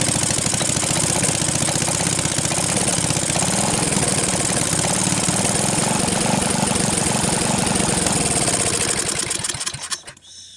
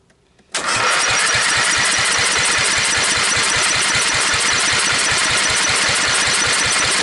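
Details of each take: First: Briggs & Stratton 12.5 HP L-head single-cylinder engine, mouse-damaged and corroded after years stored, first run on starting fluid with choke on, throttle turned up from idle: fast, even pop, then winds down and stops near ten seconds; runs normally. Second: Briggs & Stratton 12.5 hp L-head engine, sat for years with mice-nest corrosion damage, on jump pack with choke on and idle setting, sprayed with starting fluid; catches into rough rapid popping, fires and kicks but won't keep running.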